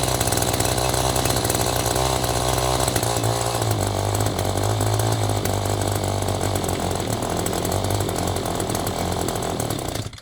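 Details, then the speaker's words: Echo string trimmer with aftermarket replacement carburetor, choke just turned off: small two-stroke buzzing steadily at fast idle, fast enough to spin the head; idle speed set too high. "now joke is off okay we got to slow down a bit cu the head spinning"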